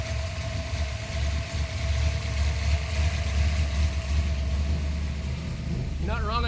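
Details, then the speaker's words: HDT VL Calais Sport V8 converted from Quadrajet carburettor to multi-port injection, LSA electronic throttle body, VT crank angle sensor and Haltech Elite 2500 ECU, pre-dyno: deep, steady, evenly lumpy idle, no knocks or misses; normal idle. "We've had the engine running for a little while. It's working well."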